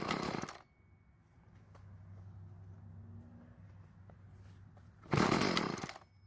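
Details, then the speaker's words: Stihl FS36 string trimmer fresh out of storage: short bursts of revving, then a faint, sagging idle that keeps dying. Stalling at idle; it seems to need more fuel, so the L screw is to be turned counterclockwise about half a turn. Cause not confirmed. "well it keeps dying so it seems to need a little bit more fuel to stay idling"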